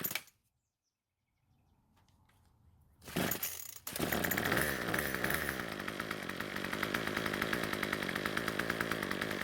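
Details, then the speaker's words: Craftsman two-stroke trimmer after turning the L screw a quarter turn counterclockwise for more idle fuel: catches after a pull or two and buzzes steadily with no stumbling or surging; runs fine now. "so it starts and runs just fine now and even though the trimmer head would not stop spinning on the table after using it some more it finally stopped"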